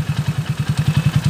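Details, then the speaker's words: Honda TMX155 motorcycle after repair with new first gear, main shaft and connecting rod for previously noisy engine: steady, even single-cylinder thump at idle with no rattle or knocking; normal idle. "Okay yan na po yung andar niya ngayon mga ka- bro oh yan smooth wala na yung maingay na magaspang at malagitik mga ka- bro"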